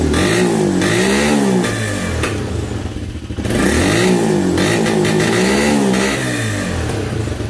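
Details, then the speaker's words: Motorcycle with strong spark and good mixture per plug colour, restarted: slow labored revving surges that sag and recover unevenly, choking under throttle; intermittent fault reports bogging at 6000–7000 rpm and sometimes stalling; cause not confirmed; engine bogging. "mucho prender se ahoga ahora de nuevo tengo la falla a esta falla es muy muy intermitente"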